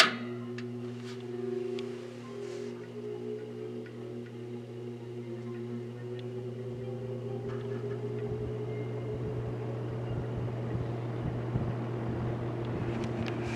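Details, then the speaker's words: Vintage General Electric 3-speed reversible box fan, found discarded with nearly seized blades, running on low right after oiling: smooth, even low hum with no rattle or scraping. Normal low-speed running, far better than its low before oiling. "okay here is a run up after it's been oiled on low"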